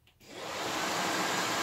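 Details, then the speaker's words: VW Squareback fresh air box blower fan, repositioned so it no longer rubs: spins up within half a second to a smooth, even rush of air with no rubbing or ticking; normal running. A damaged piece inside is suspected of causing the earlier rubbing. "now let's see that's how it's supposed to sound it's supposed to were but it's supposed to be you know not that loud and shitty"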